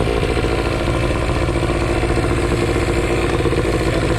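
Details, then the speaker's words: 1995–96 Johnson 15 hp two-stroke short-shaft outboard, after a leaking fuel pump and worn o-ring were fixed: uneven, lumpy buzz at lowest idle that never settles and dies. Rough idle; owner suspects it needs a carb clean. "so at like the lowest idle it runs kind of rough and dies yeah I could use a carb clean"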